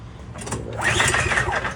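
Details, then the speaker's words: MTD 31A-2M1A706 21-inch snowblower, 123cc four-stroke, first start attempt after priming three times on choke: single rope pull whirrs but never fires; spark plug found fouled; no-start on recoil pull. "Couple pulls. Since it is not starting, I pulled the spark plug here and uh she seems to be a bit fouled up."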